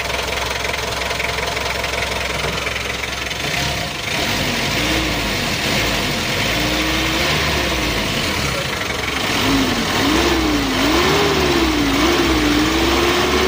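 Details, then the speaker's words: Mitsubishi L300 diesel after engine and transmission overhaul with Panther 2.3 injection pump cam plate, standard setting: even, steady idle with no knock and a faint wavering whistle, no smoke, temperature mid-gauge; healthy. "suaranya aman Lur adem"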